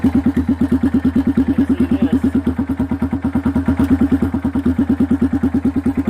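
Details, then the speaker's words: Kawasaki Bayou single-cylinder ATV before the muffler swap: loud, raw popping at about three beats a second with a hollow, unmuffled bark, getting louder over time. The muffler is rotted and leaking; it will be replaced with a used Kawasaki 300 muffler. "maybe some of you've noticed that this thing is getting louder and louder"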